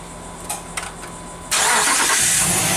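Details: 2005-2010 Jeep Grand Cherokee 5.7 HEMI after alternator replacement and re-securing it with two nuts: a few clicks, then it catches at once and settles into a steady, even idle with no whine or squeal from the belt side; problem solved.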